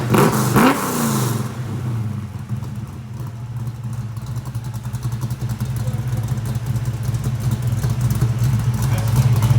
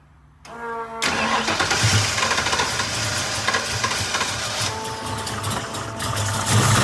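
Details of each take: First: Ford 347 stroker V8 with Anderson N91 cam, 9.5:1, 205cc heads, 750 carb, after lifter change: lumpy choppy idle swelling into strong even revs, no tapping left; healthy, exhaust leak at the collectors noted. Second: Ford 347 stroker V8 (9.5:1, 205cc 11R heads, Ford Motorsport intake, 750 carb, Anderson N91 cam) first start after changing lifters; fires into a lumpy idle with light ticking/clank, starting to quieten but noise remains; likely lifters still pumping up.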